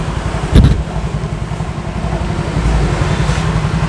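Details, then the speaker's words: Used 115cc scooter at idle, heard close to the left-side CVT: a smooth, steady low rumble with no ticking or knocking, the CVT sounding cool and quiet, a normal idle. "Ya, kira-kira suaranya kayak gitu. Aman, nggak ada kelotok-kelotok, nggak ada kelicik-kelicik. Bagus, suara CVT-nya adem."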